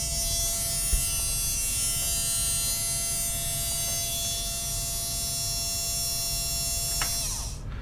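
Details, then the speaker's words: MN99s RC model with metal gearbox and geared motor upgrade, run at 8.4 setting; steady high whirr and clean, even whine until it winds down, running smooth and not too noisy. "so yeah not too bad not too noisy"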